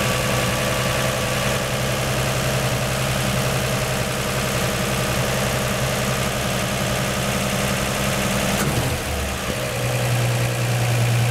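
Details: 1949 Chevy 3100 idling after swapping its Pertronix Flamethrower distributor advance springs to high-range copper for earlier mechanical advance; smooth, even idle that steps down and settles, seeming to start easier and idle higher from more advance, running healthy.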